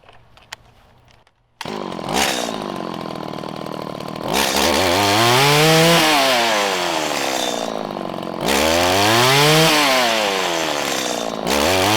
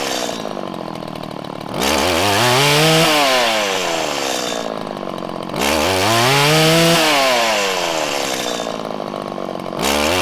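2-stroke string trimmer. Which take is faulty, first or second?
second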